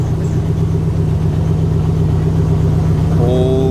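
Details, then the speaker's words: Dodge SRT-4 first start after Walbro 255 fuel pump, new fuel canister and fuel tank install: steady, even low idle with smooth pulse, no knocks or stumbles; a little smoky, running well. "After all this time, it's finally running. She sounds good."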